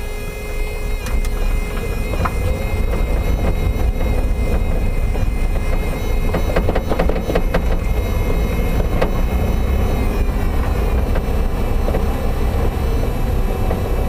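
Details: Toyota MR2 Spyder, right-hand side, driving: a few sharp, isolated clunks at irregular intervals over steady road rumble; intermittent knock, source not yet found. Power steering pump noise also present; hood contacts nothing.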